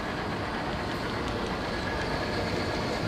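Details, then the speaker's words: Restored Monarch lathe on a test run at slow speed: steady, even mechanical rumble with light ticking, no knocks or grinding. Machine runs smoothly. "I'm just gonna do one run through test on the slow speed just to see how things look in there while the machine's on. Everything's looking pretty good, sounds good."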